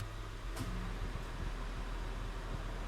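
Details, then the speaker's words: Honda Odyssey after AC repair, engine running: one sharp click just over half a second in, then steady engine and blower hum; AC compressor clutch engaging. "I could hear the AC clutch come on."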